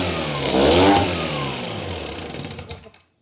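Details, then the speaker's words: Old Evinrude 6 hp Fisherman two-stroke outboard after restoration, restarted in a hot garage: buzzy note swells under throttle and dies away cleanly with no misfire or knock; runs like a top and shifts into gear fine; normal running. "Runs like a top. Runs like a top. Shifts into gear just fine."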